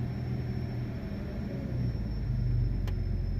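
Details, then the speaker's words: Vehicle idling with a faint steady high-pitched squeal that comes and goes; owner suspects a vacuum leak, possibly in the evap system as the purge valve cycles. "That's a vacuum leak. Let's see if I can find out where it is. It comes and goes. That's loud, man."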